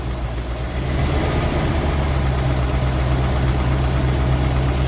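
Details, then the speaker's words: Rolls-Royce Silver Shadow II, neglected over 10 years, with twin SU carburettors rebuilt and a new fuel pump. After a high idle and a sticking carb, pushing the throttle down settles it to a proper steady idle with less smoke; a slight miss is still suspected. "See, that's better. That's where it should be idling."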